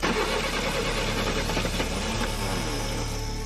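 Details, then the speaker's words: Long-dormant 1966 Pontiac Tempest overhead-cam six, carbureted, first start attempt: ragged cranking with a warbling, squealing starter whine, then it stumbles to life running rough. Starter noise, cause unknown. "Starter sounds like a dying dolphin."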